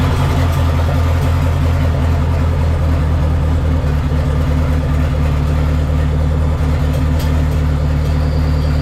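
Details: Dodge Neon SRT-4 on its first start after clutch master cylinder replacement, with new plugs gapped at .032: steady, deep idle with an even pulse and no knocks or misses; normal idle.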